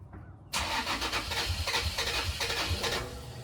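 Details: Toyota 4Runner crank no start: starter cranks at an even, rapid rhythm for about three seconds without catching. Owner thought it needed a fuel pump; with key on, power reaches the pump, so the mechanic suspects the pump is bad. Finding: cranks, no start, out of fuel.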